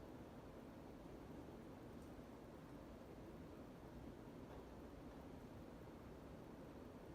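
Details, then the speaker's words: 52" Sears Turn of the Century ceiling fan, made by Emerson in the early 1980s, with a K55 3-speed reversible motor. A steady, powerful rush of air and a soft hum, with no rubbing or ticking: normal operation. "massive amount of air coming out of this fan extremely powerful then again it is a k55 what do you really expect"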